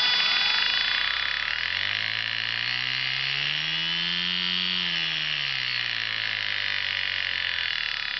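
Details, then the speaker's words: Sukhoi SU-26m motor and prop running. The droning tone rises and falls with throttle and carries an extra hum, the suspected problem; the propeller appears lopsided when viewed from the side. The cause is not confirmed. "hear that humming noise? Mm-hmm. Yeah, that noise right there. That's the problem."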